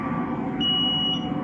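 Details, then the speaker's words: 1989 Johnson 150hp outboard on a McKee Craft boat, during repair for loss of power (bad coils, failed ignition switch): a steady high-pitched horn tone of about half a second sounds over the hum. The overheat horn and sensors work, though there is no initial key-on beep. "Hear it? So yeah, our sensors are working."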